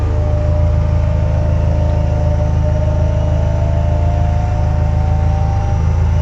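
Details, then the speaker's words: Widebody EK9 Honda Civic K20 turbo sequential racecar, engine running, electric power steering switched on: thin jet-like whine slowly climbing in pitch over loud steady engine drone; normal electric steering pump. "uh you'll hear it kind of power steering always falls up like a jet engine"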